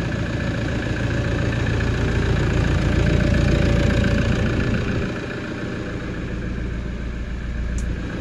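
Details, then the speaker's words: Toyota Hilux LN106 with swapped-in 1KD-FTV diesel from an N70, restarted after topping up fluid; steady low diesel clatter at an even idle with no misses or knocks, normal idle. "fire it back up she sucked it back down again it's odd hearing this noise from this old car"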